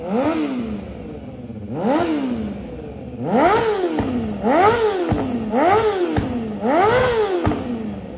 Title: 2007 CBR 600RR CS Racing Full Exhaust *header tick**Cam/timing chain rattle**